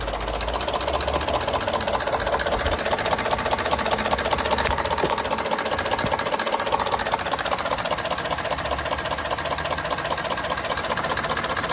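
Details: 2019 Ford F-150 5.0L V8 at idle with a steady, regular knock over the engine noise, persisting after new OEM timing components, phasers, actuators and solenoids; cause not identified.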